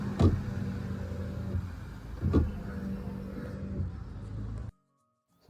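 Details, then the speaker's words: Tata Tigor wiper motor, heard from dashboard side with wiper switched on: steady hum with soft thump about every two seconds, no wiper sweep; motor good, link rod likely came out (second occurrence). "as you could hear the noise, the motor is good, but I think the link rod might have came out."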